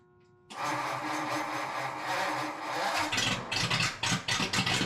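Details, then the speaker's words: 1935 Ford 5-window coupe converted to 12V with alternator: catches suddenly, settles into loud, raspy, unmuffled run with choppy blips; battery intermittently won't spin starter well, hard starting. "but for some reason the battery won't spin the starter over very well every now and again intermittently"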